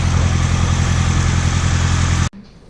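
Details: Turbo Honda Civic project, first start after finishing the exhaust: a steady, deep idle with an even, smooth beat and no knocks or misses before it cuts off. The engine is running healthy.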